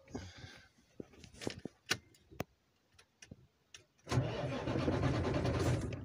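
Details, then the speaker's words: International truck with Cummins 11 diesel, heavy regular knock at idle after cranking; disconnecting cylinder 5 injector connector slightly reduces knock, other cylinders no change — broken piston. "на фишки отключаю 5 цилиндр чуть чуть меньше становится на остальных так не помогает ни че го"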